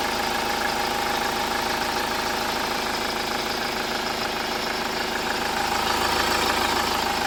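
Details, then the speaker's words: Hyundai Starex diesel idling after DTC P0253 was cleared; the van had a burnt alternator wire. Smooth, regular clatter with no shudder or uneven beat; the earlier shake is gone and it idles normally. "Ayun, tahimik na ulit. Wala na yung palag ng makina. Yan, tahimik na."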